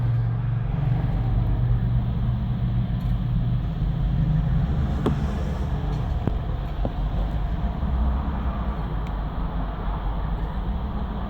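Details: BMW 750Li cold engine: starts and idles perfectly, but after stop and restart runs rough, misfires and revs hunt; owner notes it runs rough around 50C when switching from partial throttle to VANOS operation.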